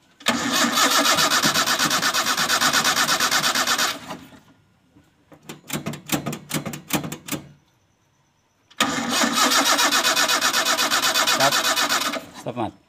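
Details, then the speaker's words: Toyota Kijang gives two cranking bursts at about three beats a second with a short stutter, never catching. Spark is confirmed at the coil wire and fuel is present, but it cranks with no start and the cause is still being traced. "Oke sobat semua belum bisa hidup sepertinya masih kita harus cek dulu kita telusuri dulu apa yang menjadikan kendala pada mobil Kijang peta ini"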